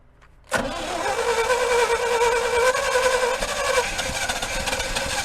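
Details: Chevy C50 truck (circa 1967–72) left outdoors for a very long time, started with the fuel pump fed from a temporary supply to purge old gas. Silence, then it catches after a brief crank and runs fast and slightly uneven; hard start after long storage.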